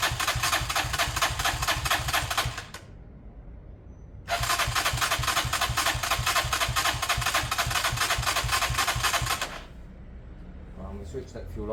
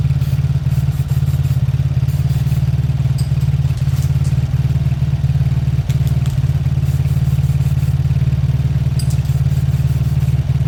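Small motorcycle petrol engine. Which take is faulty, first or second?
first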